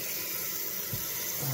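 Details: Toilet after flush valve and flapper repair, float adjusted to the old water level: steady, quiet rushing hiss of the tank filling with no squeal or chatter; normal refill.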